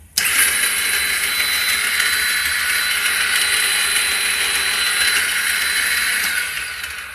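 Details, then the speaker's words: 2009 Kawasaki Ninja 250R in neutral, clutch in, battery checked, some fuel in tank, headlights not turning on: starter whirs steadily for about six seconds but engine never fires; cranks but won't start. "that's basically what happens even with the clutch in and everything still won't start so any ideas would be much appreciated"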